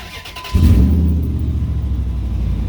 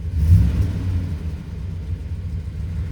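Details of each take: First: 2003 Ram 2500 quad cab long bed before cat-back exhaust replacement: loud, deep idle with rough popping/puffing from an exhaust leak just behind the catalytic converter, heard under the seat. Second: 2003 Ram 2500 quad cab long bed after installing a Flowmaster FlowFX cat-back exhaust to fix a leak behind the catalytic converter: quiet, mild steady rumble at idle, no drone or rasp, ticking leak gone; normal exhaust note.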